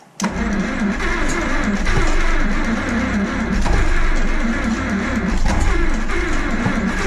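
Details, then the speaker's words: 1949 Farmall M Diesel starting on gas with a freshly rebuilt magneto, after 2–3 years unstarted: steady cranking without catching, seeming to fire out the exhaust; timing suspected over-advanced or 180 degrees off. "Sounds like he's firing out the exhaust. I wonder if we're advancing it too much."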